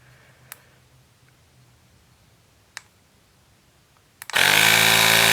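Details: Portable cordless tire inflator pumping a tire from about 4.5 PSI to 40 PSI: a few clicks, then a steady, fast, even buzzing piston chatter; normal running.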